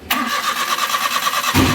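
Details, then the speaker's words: Maruti A-Star with cylinder 1 misfire (P0301) from a loose spark plug and damaged coil, after the plug and coil work: even, quick cranking but the engine never fires and no light shows. Mechanic suspects a blown ignition fuse from touching wires. "Light भी नहीं ए रही है ना तो हो सकता है इसकी वजह से क्या होगा फ्यूज उद गया होगा"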